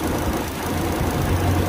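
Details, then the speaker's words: Car at 114,000 km, front: low rough knocking rumble at idle from the radiator fan motor, which vibrates and wobbles badly; worn radiator fan motor, due for replacement around 100,000 km, risking engine overheating. "nah sumber suaranya dari sini bosku dan ini disebabkan ban motor radiator goyang lalu menimbulkan bunyi yang tadi"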